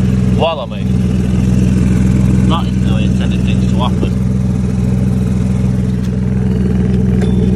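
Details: Citroen C1/107/Aygo with the exhaust, earlier repaired with a scrap exhaust piece, now snapped: a loud, raw, blatting drone at idle with a harsh rasp from the tailpipe area.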